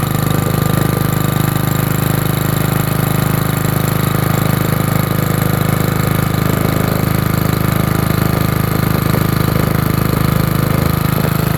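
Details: Generator after a cold start in freezing winter, run with the air filter on because this carburetor and tank setup dislikes running without it: deep, even thrum at about four beats a second, no misses or hunting. Idles smoothly.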